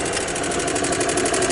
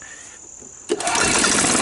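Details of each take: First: 1993 Club Car gasoline golf cart, normally hard to start and prone to stalling, with the micro switch bypassed: after the key is off the engine keeps chattering at a steady idle with light rapid ticking, dieseling on and not shutting down; cause unknown. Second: 1993 Club Car golf cart petrol engine that had been hard to start and stalling, after a gummed carburetor was cleaned (jet blasted through), unused for over a year, oil checked: catches after about a second and runs steadily without stumbling or dying.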